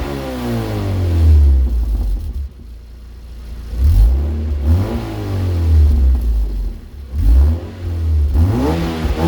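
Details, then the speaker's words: Mazda Miata NC with Yonaka axleback exhaust fitted with a single washer spacer instead of a gasket, exhaust cold: several quick revs with a deep, rough note and a leaky puffing edge at the joint. "Yeah, so I thought maybe one spacer would get rid of that exhaust leak sound. It doesn't."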